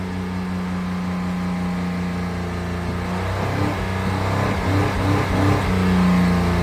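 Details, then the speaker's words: 2016 Honda Pilot 3.5L with check engine light, DTC P2652 (rocker arm oil pressure switch), runs rough: on start the engine goes straight to high RPM and holds there instead of dropping back; idle too high, cause not yet confirmed. "this engine is going straight to high RPMs as soon as you started"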